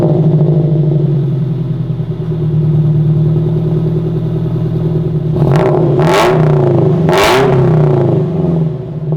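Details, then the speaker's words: FRS in a garage, before replacing an aftermarket front pipe: heavy booming drone at idle swelling into loud raspy blasts on three quick revs, far too loud. "Alright guys, it is a little louder because we're in the garage here and I probably shouldn't be doing it this late, but that's the before."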